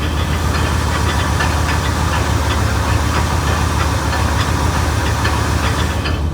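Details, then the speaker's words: 1989 GMC Sierra one-ton dually with a 454 big block, first start, in park. A loud rough idle with a sharp tick about three times a second that does not increase with revs. The owner wonders if something is hitting the flywheel; source not found. "Sounds like something's hitting the flywheel, maybe? I don't know. I wonder what that noise is."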